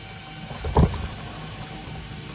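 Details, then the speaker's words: HP LaserJet P1102w after paper pickup/feed repair: one brief clack at switch-on, then quiet with no grinding or repeated clicking; the earlier noise is gone, normal power-on. "if there is no problem, then see, the sound that was being made earlier is not there now"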